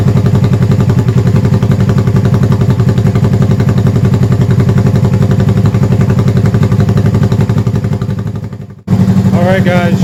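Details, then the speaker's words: 1971 Honda CB350 twin, first start after a full top-end going-over with oil flow fixed, avgas/low-lead mix, likely needs rejetting: loud, steady putter just over 1,000 rpm, both cylinders firing evenly, no misses; normal idle. "guys, she's idling just over 1,000 RPM. Sounds good, it's loud, firing on both cylinders. That sounds really, really good."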